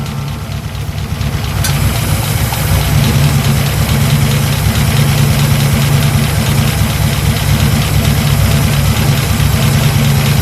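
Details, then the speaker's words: 1941 Buick Special, first start after sitting with a few-years-old fuel, fed fresh unleaded and gas poured on the intake: low steady idle with light quick valve train ticking rattle, about three a second, right at cold start. "now she run a little bit the valve train was there was a little rattly right there at the beginning"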